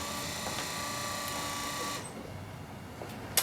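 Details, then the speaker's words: Triumph TR3 windshield wiper motor tested after a melted, wrongly wired switch lead (switched to power instead of ground) was removed: steady, even whir for about two seconds, then a clean cut-out with a faint click; the motor runs normally. "let me turn on the motor make sure it works this in here going around around around"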